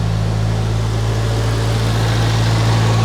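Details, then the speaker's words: 1993 Geo Tracker just started after a fuel injector rebuild, timing not yet set: steady, even idle with no misses or knocks, slightly high and needing to come down; the owner suspects an odd sound from the alternator. "the car sounds so much better it needs to come down an idle it needs to lower itself a little bit"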